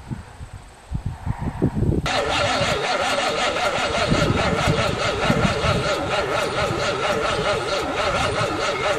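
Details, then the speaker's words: 1978 Monte Carlo 305 V8 in a 1963 Allis-Chalmers loader, parked 5.5 years, third start attempt: two seconds of uneven cranking, then it catches and settles into a steady, even run; not seized as feared. "Well, this deserves a celebration. Really thought she was going to be seized up."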